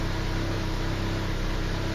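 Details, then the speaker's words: Mazda 626 with manual clutch, first start after fuel pump replacement and fuel tank reinstall: steady idle at about 1000 rpm, a little high, dropping slightly as the engine warms; healthy idle. "idle is sitting right at a thousand it's a little high but considering everything i've been through i'll take it idle actually sounds like it it's dropping just a hair as the engine's warming up"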